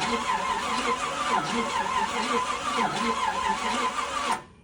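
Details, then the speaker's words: 1986 Pontiac Fiero with Countach kit body, engine previously full of water, after new plugs, fresh oil and filter, new carburetor and fuel line: even chugging cranking about four seconds, never fires; crank no start, distributor suspected. "that does not sound healthy tried to crank it up last night and we had no fire and it's not surprising considering the engine was completely full of water and it was coming out the carburetor"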